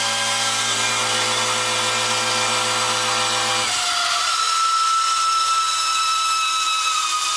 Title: A/C Condenser Unit Makes Loud Screeching Noise